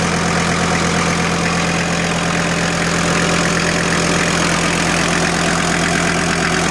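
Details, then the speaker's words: VW T4 AAB five-cylinder diesel van, about 250 km driven, warm idle (oil about 60 °C), five-year-old diesel: uneven rattly clatter over steady beat; unexplained noise, owner suspects normal pump sound. "So, but engine sound, I think this should be normal sound. But there is something what I'm a little bit concerned, but I'm not sure where it comes."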